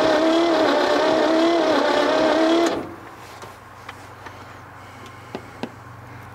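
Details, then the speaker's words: 1957 Chevy Viking truck abandoned for about 50 years, low on fuel: the starter whines and drags the engine over sluggishly for under three seconds without catching; slow cranking, no start, and the battery may not be fully charged. "but that that thing's just not turning over very fast this battery should be charged but that don't mean it is"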